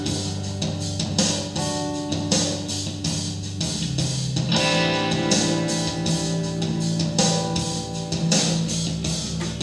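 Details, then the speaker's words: Radio Shack Optimus Pro 7 speaker, the working one of a pair, playing guitar music from an MP3 player: full and even sound with solid bass, no cutouts or crackle. Normal playback. "hit play so this is a good speaker"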